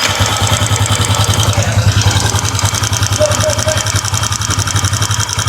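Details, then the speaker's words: Yamaha Y15 after repeated topset work, head replaced, new valves: light fast ticking from head at idle, about three to four taps a second; intake valve clearance found too large and roller rocker arm has free play. "Dan lagi satu, motor ni bila dah buat topset, kata owner dia dah tukar head sketul, valve dah baru, tetapi ada bunyi dekat bahagian head dia."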